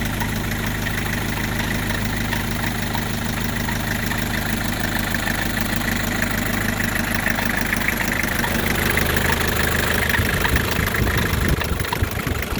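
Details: 1984 Isuzu P'up diesel idling with a loosely regular tapping about three per second over the clatter; abnormal idle knock, cause not pinned down.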